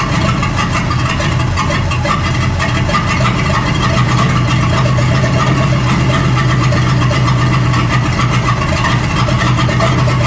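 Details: 1937 Buick Roadmaster with an apparently rebuilt Stromberg carburetor, after the idle screw and idle mixture screw were set: an even, steady low idle without hunting or stumbling. It sounds much better but still needs fine tuning. Normal idle.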